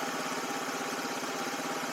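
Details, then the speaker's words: Small single-cylinder buggy engine after readjusting a loose, wrongly set exhaust valve: steady even idle with quick smooth pulses and no valve tick; full-throttle cutting out remains, owner suspects the carburetor. "that that exhaust valve was loose I don't know what happened I adjusted them wrong but it's no longer ticking so sounds much better"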